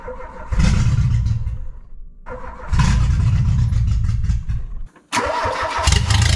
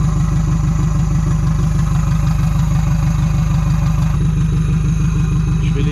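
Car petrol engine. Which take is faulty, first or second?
first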